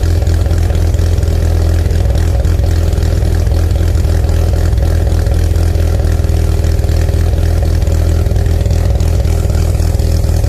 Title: rexysavannarx7 post cat delete idling, rev and misfiring - Mazda Rx7 Sa22C 13B Turbo 2